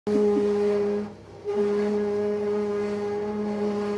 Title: HP Color Laser Jet Enterprise M553 через 2 месяца после начала использования сильно гудит